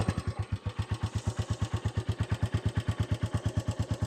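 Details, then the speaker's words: Royal Enfield Classic 350 at about 2585 miles, stock exhaust, valves last serviced at first service: even thudding single-cylinder idle with light ticking from the top end; normal valve noise, reportedly healthy. "those valves? That's a healthy 350, so I'm told."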